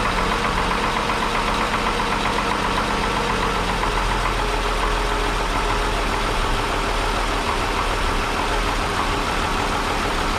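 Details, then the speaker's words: Cold start of a 1961 Ford Falcon Delivery (Mustang 66 manifold) at idle with a light, quick ticking over the engine note; owner suspects a lifter, and the oil later proved thin and full of gas. "i definitely hear something it very well could be a lifter so we're going to run it until we run out of gas or roughly five minutes"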